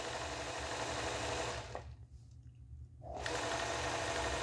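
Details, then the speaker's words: Singer 431G sewing machine with its internal motor converted to low voltage, sewing denim after the gear was refitted in its correct position; now runs nice and quiet and powerful with a steady stitching rhythm, only a slight gear-mesh hum. "there you go it's lovely nice and quiet and very powerful"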